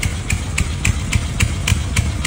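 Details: 1987 Chang Jiang 750 sidecar motorcycle, 750cc horizontally opposed twin idling evenly at about 3.5 beats a second with a loping hoofbeat rhythm and no extra noise. Just revived after ten years stored and new breaker points; the carburetor still leaks.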